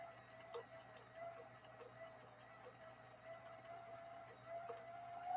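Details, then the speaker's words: Vintage Viking sewing machine with gear reduction taking it from full speed down to one-fifth speed: faint steady low hum with soft regular stitching ticks, motor held slow and running evenly without strain; normal slow-speed sewing. "we've taken it from Full Speed all the way down to one fifth speed one fifth speed"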